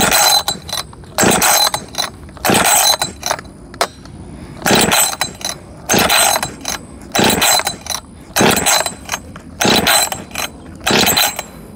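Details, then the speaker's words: Husqvarna 562XP Mark II chainsaw, first start attempt, fueled and oiled: repeated pull-cord rips, never fires; coil wire not pushed fully onto spark plug after compression test, so no spark. "okay I think I didn't have that coil wire all the way down I had just you know pulled the spark plug out and did a compression test and stuff"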